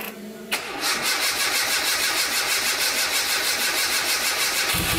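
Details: Escort Cosworth race car after misfire fixed: quick crank, catches cleanly and settles into an even, lumpy idle of roughly three pulses a second with no stumbles; runs healthy.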